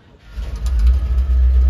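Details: 1957 Chevrolet 210 wagon V8 running on a temporary ballast resistor: a deep, low rumble builds and holds steady as the engine catches and runs smoothly with no misfire stumble.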